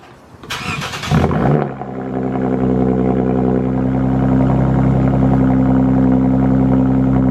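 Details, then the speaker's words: Cold start of a Lexus IS engine (IS250/IS350 family) after water pump replacement: it cranks, catches and settles to a steady fast idle with only the normal light tick; the earlier sloshing noise is gone, so it sounds healthy. "you can hear the little ticking sound which is normal for these is engines whether it's is-250 or the is-350 that little ticking sound is normal but you don't hear that sloshing sound anymore which is a good sign"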